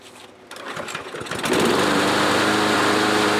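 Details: Troy-Bilt push mower after lubing the self-propel cable, with fuel stabilizer added. It catches after a few pulls and settles into a steady, even, high-pitched run with no misses; healthy.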